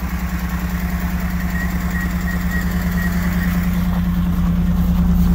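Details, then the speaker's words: BMW E39 cold start after a new clutch installation, after a frozen starter solenoid failed to engage the flywheel. Loud, lumpy, uneven low idle pulsing about three times a second, growing louder. Rough idle, "sounds horrible", but it runs. "oh my god that sounds horrible [Music] oh it's running"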